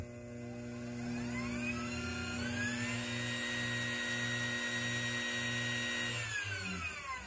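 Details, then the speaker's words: Treadmill motor on an SCR speed controller with AC and DC chokes: starts smoothly at the lowest setting without a bump start, then rises to a clean, steady whine at top speed; about 900 to over 6,000 rpm unloaded. "Lowest setting running smooth. We're not doing that bump start. We can easily crank it up."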